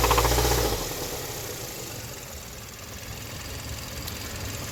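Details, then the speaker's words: 2013 Hyundai Sonata, engine failed after the recall, codes P0014 and P1326, check-engine light flashing after codes were cleared: heavy rough idle with a deep repeating rod knock after about five minutes of idling, engine rocking; blown engine. "that engine is rocking away and this is maybe like five minutes of idling"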